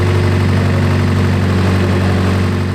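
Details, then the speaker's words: Turbocharged Honda S2000 AP2 with Greddy turbo kit and new exhaust, idling while warming to temperature to bleed the cooling system, oil burning off the manifold: steady smooth idle, even low hum, no knocks or rattles; normal idle. "Other than that, things running great. So we're letting the cooling system do its thing."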